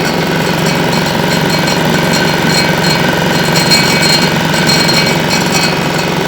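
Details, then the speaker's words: Winget mixer single-cylinder diesel, stood a couple of years, after repair, second start: steady even chug with slight clatter, no misses or knocks, surprisingly quiet. Normal running. "Tell you what, on a single cylinder like that, this is actually really quiet."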